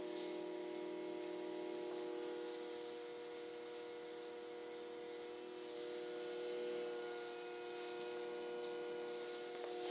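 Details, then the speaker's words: Promethean EST-P1 projector making unusual loud noise when switched on: steady mid-pitched whine with thin hiss, level throughout with no speed change. "Promethean EST minus P1 or something like that, and making unusual loud noise when switched on, as can be heard now."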